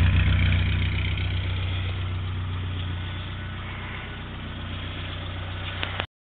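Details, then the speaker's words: 1956 Morris Minor 950 engine, cold, idling at about 1000 rpm with the choke pushed in and 70 psi oil pressure. Smooth, even low idle with a steady exhaust beat, no strange noises or knocks and no tailpipe smoke; the engine is healthy. "it's cold but it runs like that all the time as you can see there are no strange noises nothing wrong with this motor"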